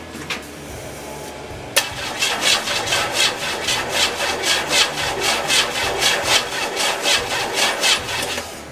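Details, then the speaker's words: 1986 Oldsmobile Regency (98), no-start with suspected no spark, cranking on jumper cables with spark tester on a coil: starter churns steadily about a beat a second, no firing; cranks but won't start. "I'm gonna crank this over and we're gonna see if we have spark"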